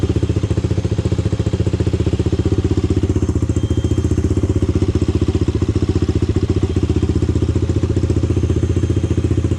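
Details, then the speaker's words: Honda 400EX ATV single-cylinder four-stroke, first start after starter rebuild: steady idle thump about three and a half beats a second, no knock or valve clatter; bottom end sounds okay. "yeah it sounds like the bottom end is okay i mean i didn't hear any knocking or anything i didn't hear any valve train noise or anything unusual"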